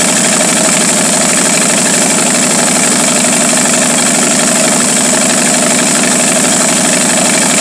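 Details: 1949 Studebaker 2R5 truck, Commander 6 inline-six, idling unevenly with a loping, wavering exhaust pulse; won't stay running unless the carburetor is fully choked, consistent with a vacuum leak running it lean.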